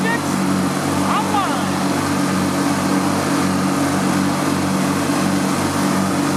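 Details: Riding lawn mower twin after fuel and electrical repairs, started with choke on and a slightly weak battery: steady, even drone at constant speed with no stumbling or misfire; engine runs normally.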